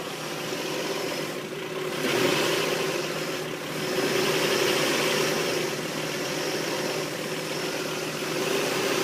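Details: Engine just after a head gasket replacement idles roughly, surging and sagging every couple of seconds instead of holding smooth; owner suspects a vacuum leak, unconfirmed.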